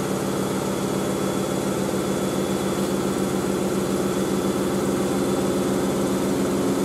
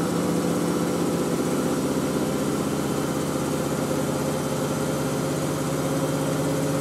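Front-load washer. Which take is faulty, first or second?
first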